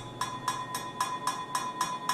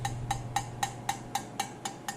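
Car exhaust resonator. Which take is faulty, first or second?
first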